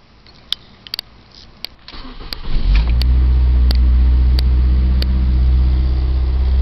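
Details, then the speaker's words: 2005 Ford Focus, about 93,000 miles, started in Arizona heat and idling roughly with low rumble and rattling from engine vibration; two lower engine mounts later replaced. "sure if you can hear all that rattling over here that's all from the engine vibration"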